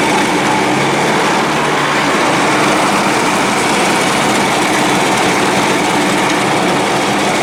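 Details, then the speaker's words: Dixon 72-inch mower, after a deck pulley repair: the small engine runs fast and buzzy with a ragged, lumpy beat and is not firing on all cylinders. Intermittent misfire; the owner suspects a coil. "so motor's not hitting on all cylinders sometimes i shut it on and off it hit better come on baby"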